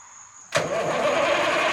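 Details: 1973 Mack R700 with Mack 865 V8 diesel, injection pump rebuilt after a frozen rack, not run in 20 years: starter kicks in and the engine cranks with a steady hiss but won't catch; air still in the injector lines being bled.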